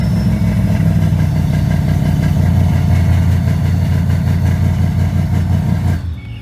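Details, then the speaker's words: 2007 Ford Mustang GT 4.6L V8 after replacing the starter for a no-start: fires straight up with the key and holds an even, steady idle rumble until switched off; normal start and idle. "So now, well, she went ahead and fired right up with the key installed."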